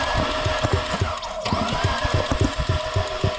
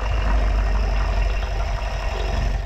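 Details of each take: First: Fiat 500 Multiair left sitting six weeks: rhythmic cranking about three to four beats a second that never catches, sounding like no compression; air in the Multiair hydraulic unit, fixed by pushing the bleed point under the oil filler while cranking. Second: Fiat 500 MultiAir, after sitting six weeks and cranking with no compression and no start, fixed by poking through the bottom hole under the oil fill cap while cranking: now a low, even, steady idle with no misfires, ticks or stumbles.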